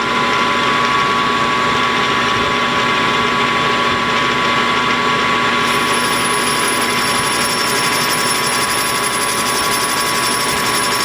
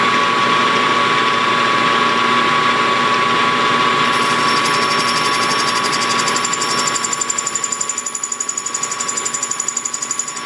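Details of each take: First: Hobby lathe facing a Kerzel model engine flywheel, 10 thou cut with a resharpened, larger-radius tool angled in: steady, even cutting hiss with a clear high ring and no chatter; clean, normal facing cut. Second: Hobby lathe facing a Kerzel model engine flywheel, about 5 thou cut: steady machining whine, then a fast, even ringing chatter of roughly three beats a second; the tool cuts poorly, to be resharpened or replaced.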